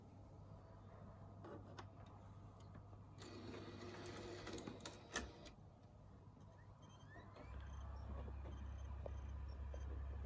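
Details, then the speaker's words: PS5 console (UK), recorded on a phone: a disc inserted while the console is on gives soft clicks and a brief whirring shuffle as it loads, then a steady low hum as it spins up; normal disc insertion and spin-up. "is obviously me putting the disc in when the console is already on and uh you can you can obviously hear uh what it sounds like when you when you when you first put a disc in the console"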